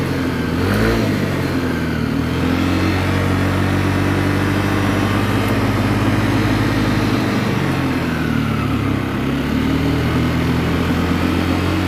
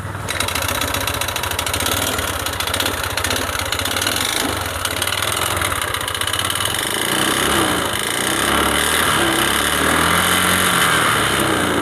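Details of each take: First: Yamaha Lexi 125 after a rebuild for oil starvation and a worn piston that had caused rough noise and smoke: a smooth, even hum rising and falling cleanly with the throttle, very different from before. Slight smoke remains from the oil-wet exhaust. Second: Yamaha Lexi 125 scooter run out of oil, restarted after dying: engine runs rough and uneven with harsh irregular firing, smokes, then dies; spark plug black with oil, piston worn.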